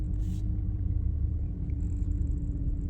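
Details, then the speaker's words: 2004 BMW 330i E46 with low power and code P0040 (O2 signals swapped, bank 1/bank 2 sensor 1), after new MAF, plugs, coils and bank 1 sensor 1 O2 sensor: uneven idle rumble, rpm going up and down; cause unknown. "RPM. Going up and down. Can you see it? Yeah, see it? Going up and down."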